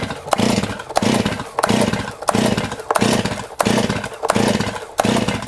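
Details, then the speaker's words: Stihl chainsaw, choke fully on, pulled repeatedly after it sputtered: starter-cord pulls about every 0.7 seconds, engine spins but never catches; flooded from over-pulling on choke. "So at this point, the saw will never ever start because all you're doing is completely flooding it. So at this point here, this chainsaw is completely flooded."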